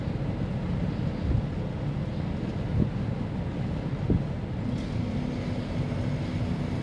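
Steady low droning rumble with occasional thumps from the running unit; abnormal vibration noise, cause not evident.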